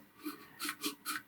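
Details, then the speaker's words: Toilet fill valve float with water off and tank drained, pushed by hand: short rough rasping scrapes instead of a smooth glide as the float drags on its pipe; mineral buildup suspected, to be cleaned. "you can kind of hear the float is not really moving all that smoothly. Depending on how much minerals you have in your water, you can get mineral buildup around this little pipe here around the float."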